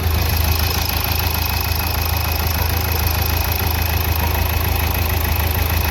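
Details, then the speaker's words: Nissan Terrano diesel, code P0203, after injector service and a coil replacement idles with an even, steady low rumble; the earlier tak-tak knocking and misfire are gone. "Engine तो अपना एकदम से silent है यहां पे आप देख सकते हो"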